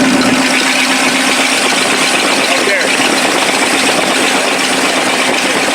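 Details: 1956 Lincoln Y-block V8, ex-tower engine, on battery hookup: steady, even idle with a smooth, unhurried beat and no knocks or misses; running healthy.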